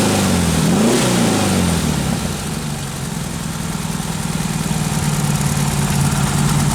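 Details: Freshly built 1776cc air-cooled VW flat-four during camshaft break-in, first run: engine blips up and settles cleanly back to an even, pulsing idle; exhaust pipes shake at idle; smooth throttle response.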